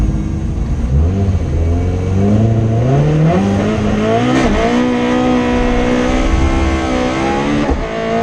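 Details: Rally car on the Padmore Village to Golden Grove stage, Rally Barbados 2017, its pitch climbing cleanly and evenly through each gear with two quick shift dips and no stutter: the engine is pulling healthily at full throttle.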